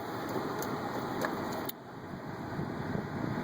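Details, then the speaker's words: 2011 Kia Sorento with push-button no-start, brake switch suspected and bypassed, now running with the traction control and downhill lights on; quiet, steady engine hum with a fan-like hiss and no knocks or misses, idling normally. "the vehicle as you can see the vehicle just started I'm back running again now"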